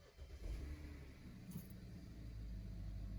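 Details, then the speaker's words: BMW 535i started right after a tune-up with new spark plugs and a cabin air filter check: it catches promptly and settles into a quiet, smooth, even idle with no misfire and no codes; a healthy start. "car started, no codes, and we're gonna take it for a spin now and come back and tell you, how it felt."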